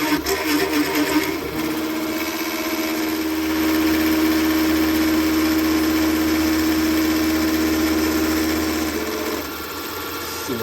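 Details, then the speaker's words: Big Daishowa spindle speed increaser on CNC mill, 1/4-inch ball end mill cutting hardened 1095 steel with a heavy step; loud steady ~300 Hz squeal over harsh buzz, chatter at full speed, improving once slowed to about 2250 RPM. "I I was getting a lot of chatter I had it at full speed and I slowed it down to uh right now this is G 2250 RPMs"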